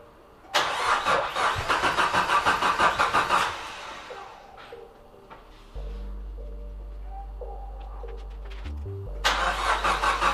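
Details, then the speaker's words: Nissan S13 200SX CA18DET, after a fallen pin let the cam belt jump a couple of teeth: starter churns in an even steady beat and never catches; crank no-start, cam timing out. "So it looks like we found the problem. We're on time here, we are not on time here, which means when that pin fell, it must have jumped on the belt and made us jump a couple of teeth."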